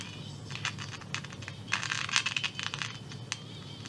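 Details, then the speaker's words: 1963 Carmen 2 Romanian valve radio, warmed up, on medium wave with an antenna, magic eye lit: irregular scratchy crackles over a low hum with no station. The amplifier works but there is no reception, cause still to be traced. "there's some crackling there so the amplified parts working but nothing else"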